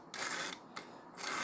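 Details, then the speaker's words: Vintage Tyco HO scale locomotive, untested train-show purchase: thin high buzzing whir in short bursts as the motor strains and barely creeps along; owner suspects it needs a good cleanup. "really struggling but it's getting power and it's trying just kind of kind of have to scoot it along"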